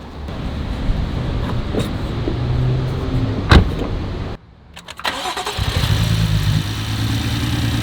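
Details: BMW F80 M3 that had been sitting, heard at a pre-purchase inspection: uneven, lumpy idle with a blip and brief dip, stumbling rather than smooth. Compression issues were later found and the motor swapped, so this is rough running from low compression.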